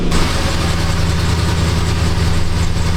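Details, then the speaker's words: 2006–2007 Jeep Grand Cherokee 4.7 V8 idling with engine light: rough lopey exhaust beat with uneven pulses, a dead miss; codes P0304 and O2 sensor 1 circuit high, live data shows cylinder 4 misfiring, new coil already fitted. "We'll see what we see and see if it's, I mean, it sounds like a dead miss to me."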